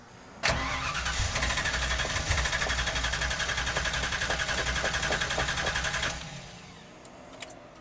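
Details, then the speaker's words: Car with a fuel cell, new budget distributor fitted: starter spins steadily about four beats a second for five seconds but it never fires; crank no start, fuel likely evaporated, tank likely bone dry. "well I forgot we have a fuel cell and I bet you it's evaporated yeah so you want to be a car guy bet you it's empty I mean bone dry"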